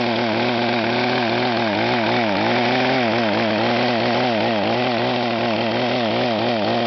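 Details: Echo HC-1500 petrol hedge cutter with a rebuilt, leak-free carburetor: at full throttle the revs rise and fall rapidly, about three times a second, never holding steady. Engine surging at high revs; rev limiter suspected, not confirmed.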